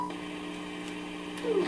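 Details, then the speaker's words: Commodore 128 after replacing a sound chip: constant low buzz with a couple of steady tones under the audio output; a bad capacitor was then found on the board, ripple suspected. "there is it awful buzzing here so I guess we need to take a look at the schematics and then check some waveforms to see where this buzz is coming from"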